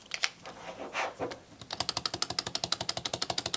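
Sharp, light clacks about four per second while rolling, keeping pace with the stroke: the blade is too loose on its screw.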